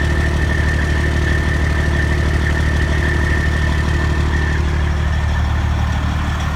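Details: Freightliner with a Detroit Diesel 14-litre engine, overhauled in frame with the head overhauled twice: a regular metallic tick about three per second at idle, heard at the exhaust pipe and manifold. The shop calls it normal and the owner doubts this. Exhaust manifold ticking.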